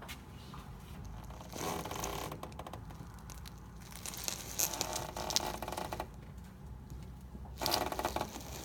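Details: 2011 Chevy Malibu: dry, grating wooden-door-like creaks in bursts whenever the steering wheel is turned left or right; owner suspects the inner tie rod, not confirmed.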